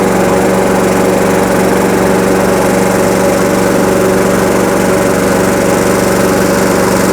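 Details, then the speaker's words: Lawnmower that was running poorly, after repair: loud even drone at constant pitch with no surging or hunting; it runs steady and healthy. "I think that is a success. So it was a little bit of a journey, but we got there in the end."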